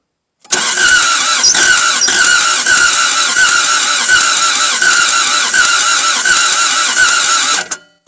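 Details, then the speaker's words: Toyota MR2 AW11 start attempt, fuel pressure regulator installed, cylinders soaked, compression believed poor, old starter: steady rapid hard-sounding cranking about seven seconds with no catch or fire; cranks but won't start. "Sounds hard turning. I mean, hard turning is better than easy turning, but we all know the compression's junk."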